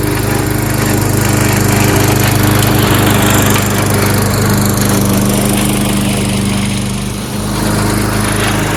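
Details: Troy-Bilt 22-inch mower, 4HP Briggs Quantum, makeshift linkage, run on choke for one steady speed: steady even drone cutting grass, no misses or surging; normal running under load.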